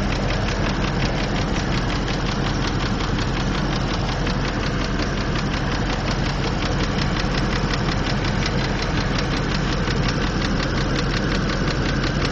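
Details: 2003 Land Rover Discovery II: steady light quick ticking over idle from the engine top end, cause unknown; Lucas Heavy Duty Oil Stabilizer calmed it somewhat and smoothed running, but it still sounds like a Harley while driving; oil leak noted.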